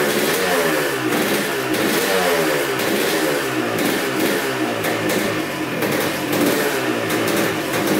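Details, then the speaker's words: 1986 Honda CR250 two-stroke, sat over five years, running on fresh gas with no leaks: crisp ringing crackle rising and falling with repeated throttle blips and dropping back to idle. Normal idle and revving. "hmm all right well that sounds really good um putting fresh gas in it started right up no leaks whatsoever"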